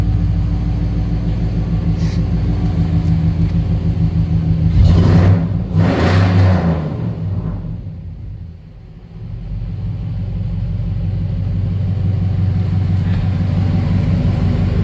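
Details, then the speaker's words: Service truck with a freshly rebuilt engine, ignition timing retarded slightly, started before reaching operating temperature: it cranks better than ever, then settles into a steady, even rumble with a brief rev sag. Normal running. "Truck's running good. Let's fire it up. She's cranking like she's supposed to now. That's about as good as it's ever cranked."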